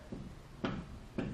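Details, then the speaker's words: Ford truck ball-joint check with the lower control arm supported and the wheel pried up with a long pry bar: two distinct dull clunks about half a second apart as the wheel moves; the lower ball joint is worn and deflecting. "you can see uh the wheel itself moving not just the the tire giving okay you can hear the noise and I'll bring you underneath here so you can see the ball joint deflecting also"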